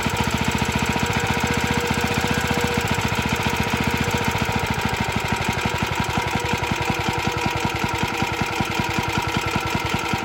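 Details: Very early Suffolk Model 1A small engine, cold: slow even firing near four beats a second with a loose mechanical rattle on every stroke; sounds less rattly in person, cause unclear.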